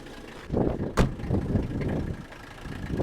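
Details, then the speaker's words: Old Mercedes OM617 turbo diesel just started on a battery booster after sitting, fuel age unknown. Soft, even diesel clatter at idle with no misses, knocks or odd noises; a very healthy sound for this engine. "now for those of you not familiar with these old diesels you may think wow that's kind of noisy but that's a very healthy noise in an OM 617 turbo diesel engine"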